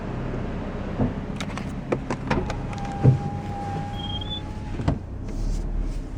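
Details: Scion FR-S braking: thin steady squeal for a couple of seconds while slowing, stopping when the brakes release; brake squeak present since the car was acquired, worse in winter.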